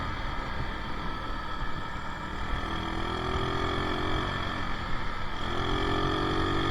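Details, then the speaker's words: Yamaha Mio Soul carbureted scooter, road test after carburetor repair, no air filter: drone rises smoothly with each throttle opening from closed to half and up, pulling cleanly without bogging; running normally. "Saat kita tutup gas, kemudian kita langsung buka gasnya ya dari 0 setengah kemudian naik ke atas dia sinkron ya ee artinya motornya mau lari ya."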